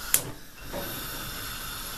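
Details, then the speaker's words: Winner WR-1803 pressure cooker cooking aspic on gas, with heat turned down to minimum. After a click, a soft, steady hiss and thin stream of steam from under the valve mark normal gentle boiling. "Я убавил газ и теперь вот из-под клапана пробивается тонкий тонкая струйка пара И слышно слабое шипение вот сейчас нормальное кипение происходит"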